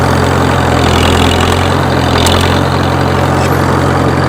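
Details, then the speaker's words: Farmall H tractor used for road mowing, idling; deep thumping that grows louder under load and is unchanged with clutch in or out. Dull knock under steady low idle; metal pieces later found in the pan, possibly bearing material: engine knock. "it gets to more of a deep thumping noise when you get it under load that's why i was out here mowing a little bit of grass"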